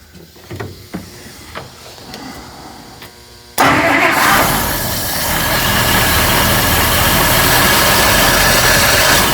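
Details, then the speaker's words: 1955 Buick Special V8 after a carburetor and brake master rebuild fires with faint clicks, then idles steadily but slightly unevenly. It dislikes throttle and is still lazy off idle; the owner hopes it cleans up. Cause unknown. "Still a little lazy off idle, but maybe she'll clean up."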